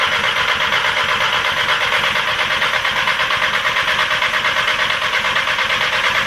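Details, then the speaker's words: Audi TT with a freshly rebuilt turbo engine, first start: raspy pulsing exhaust beat of about three puffs a second, boxer-like burble, from the downpipe loosely bolted to the turbo leaking; the engine itself runs smoothly. "I haven't bolted the exhaust up, the downpipe up to the turbo. I've literally just loosely put the bolts on. It's giving me very much Subaru Boxer engine note at the minute"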